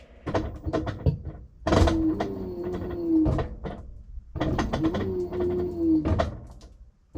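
Bursts of motor hum rising then holding pitch, with light clicks between strokes, repeating about every three seconds; normal agitation.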